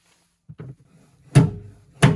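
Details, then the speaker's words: BMW quarter panel during paintless dent removal: a soft thud, then two loud metallic pops about 0.7 s apart as the panel snaps back because a lot of tension remains in the crown. "Důvod, proč to dělá ten hluk, je ten, že v této koruně nahoře je stále hodně napětí/tlaku."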